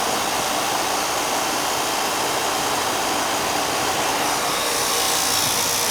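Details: Old commercial AC condensing unit, clean, after fitting separate 80 and 10 capacitors: loud even fan rush over steady hum, no knocks or rattles, cooling well; running normally.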